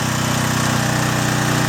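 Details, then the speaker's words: John Deere/Briggs & Stratton generator after cleaning its gummed-up carburetor and replacing rotted fuel lines, running a 1500-watt load on its high setting. Steady, even engine drone that loads down slightly, with a smooth low beat and no misses or knocks. "I'm going to try the high setting. Hear the engine load a little bit. It's 1500 watts."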